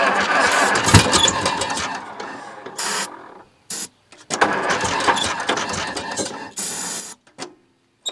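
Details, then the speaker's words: 1941 IH TD-14 dozer sat 25 years, run on ether with a single fixed throttle setting and choke only: catches, runs rough and sputters, then dies; owner has a hunch about the cause. "Okay. Well, that was cool, but I we're still struggling to keep it running."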